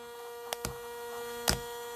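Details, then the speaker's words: Panasonic Arc 5 electric shaver running while rinsed with water to clean it: even, steady electric hum with a few light handling taps, no rattle or labouring; normal shaver running. "Leave it running like this and spray it with water. You see that? All right, there we go. So you leave the system running and you spray it with water. So it's definitely gonna wash away all the hair."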